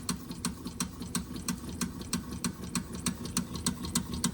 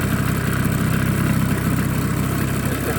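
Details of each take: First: Wilesco D6 toy steam engine fired by old, crumbled solid fuel tablets, likely giving a low flame; light regular chuff-ticks about three per second, running below full speed, probably slow from a weak burner flame. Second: Small live-steam engine (Wilesco D6 or Mamod Minor) with lit burner, steam building up: steady low chuff and hiss at an even pace, no knocks or stumbles; normal running.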